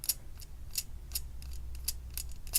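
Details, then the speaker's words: Rear bicycle derailleur removed from the bike and its jockey wheel spun by hand: sharp high chirps about three per second. Something appears caught in this pulley, which is suspected as the squeak source before disassembly. "if you roll this you can hear sort of where it could squeak this one is much quieter as you can hear this"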